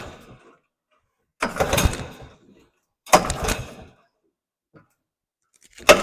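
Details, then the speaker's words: Circa 1966–69 Tradewinds Tiger snowmobile, two-stroke, first pull-starts after refitting the carb, plugs and fuel lines and priming fuel. Three short bursts, each firing briefly then dying; catching but not yet running, tuning still needed. "is we're getting there oh I'm excited let me uh try to uh get her tuned a little bit where we need it"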